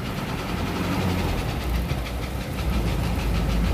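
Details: Isuzu Elf 4HL1 diesel with ECU, after fixing crank-but-no-start fault: even clatter at steady idle, deep unbroken rumble, no stumbling or misfire; runs normally.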